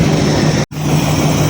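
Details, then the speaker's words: 1953 Ford Customline with swapped 350 V8, warming up after new intake gasket, before valve adjustment: steady low rumble and even beat, running very well; one cylinder had rust. "It's It's a tad more definite, but it's it's running very well right now, I think."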